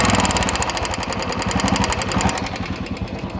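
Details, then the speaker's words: Single-cylinder engine idling with a quick light ticking about four times a second, traced on teardown to hydraulic lifters with excessive play (one very loose, another minor), causing the noise and poor pickup; lifters to be replaced. "Hydel में ज्यादा पले है और इसमें बहुत minor है पले इसमें भी है ये देखिए इसमें कम है इसमें बहुत ज्यादा पले जो आवाज साउंड आ रहा था इस वजह से आ रहा था"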